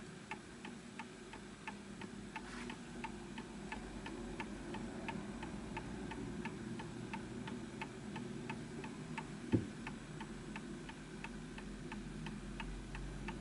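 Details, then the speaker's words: Antique Enfield Westminster-chime mantel clock, pendulum deliberately pushed off alignment: sharp ticks roughly twice a second, tick and tock unevenly spaced; clock out of beat and will stop until the pendulum is pushed back. "See, that's just off. Push it that way. So this will stop because you can hear that it's off."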